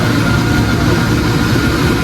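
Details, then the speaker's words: Replacement portable aircon compressor, taken from another unit because the original kept shutting off, running on test; constant low hum with a steady mid tone, no knocks or rattles, stays running about five minutes without cutting out. "Pero okay lang yan. Partah yan. O, umaandar yung compressor."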